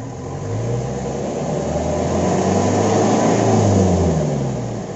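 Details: Mitsubishi L300 pickup diesel with an online-bought wolf whistle exhaust tip, before rebuilding it: revs up and settles with plain exhaust drone and no whistle.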